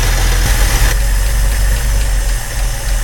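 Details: Truck revived after almost 15 years, just after timing adjustment: low loping idle with a faint irregular tapping about three per second. Possible knock; oil pressure is unknown because the gauge wire was chewed by mice. Cause unconfirmed.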